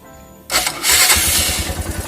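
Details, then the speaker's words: Suzuki Thunder 125 single with a standard-bore cylinder, after combustion chamber restoration, two weeks of use, then a valve adjustment. Catches quickly and settles into a smooth, even idle with no valve tapping. Much quieter than before the adjustment. "Nah seperti ini suaranya. Ini kalau aslinya tidak segitu kasar ya. Kalau di video mungkin kasar, tapi aslinya itu tidak terlalu kasar, biasa aja, halus malah."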